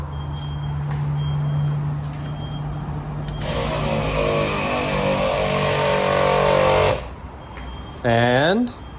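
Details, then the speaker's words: Lexus GX470 onboard air compressor feeding a newly fitted ARB air manifold kit with a relocated air chuck. A steady hum, then a clean three-second compressor run that stops. This is after a leaking fitting was tightened; the system now holds air with no leaks. "we are airtight now we'll be able to just grab this guy and air up from here and then put it back up still holding air no leaks"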